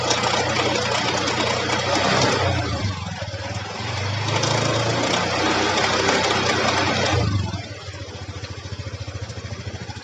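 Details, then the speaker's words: Honda Beat scooter under load with rear brake held while revving: fast rattling tick about four per second, silent at idle; worn, loose pulley shaft, before repair. "tapi ketika ada beban itu caranya untuk membuktikan itu dinyalain jika sambil di Rem teman-teman jadi rem kirinya sambil ditetapkam sambil digas mati dengarkan ini warnanya"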